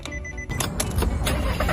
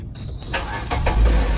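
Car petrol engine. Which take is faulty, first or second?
first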